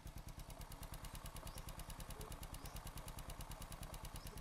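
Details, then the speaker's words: Rebuilt Fu Neo motorcycle engine, original, ridden over ten years, test-run on a stand after servicing: idles evenly with steady low exhaust thump and light normal valve tick, clutch quiet. "Em nghe tiếng máy nghe máy zin nghe anh em nó Rin tím nồi chả rõ ràng ngon lành"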